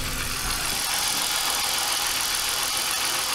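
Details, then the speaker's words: BMW E46 323i, freshly reassembled M52B25 inline-six, not yet road-driven, throttle body still uncleaned, camera mic: smooth, steady idle with even hiss and no knocks, ticks or misses; owner says it runs great mechanically, normal idle. "Ale motoricky to běhá parádně."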